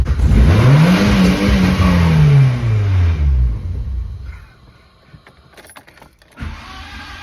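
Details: Turbo Mk2 VW Golf, OBD1 ABA engine, Subaru VF52 turbo, Digifant 1 ECU, WOT Box two-step: revs rise then limiter cuts in roughly, ragged hold near 5000 rpm, higher than wanted; RPM signal was wrong.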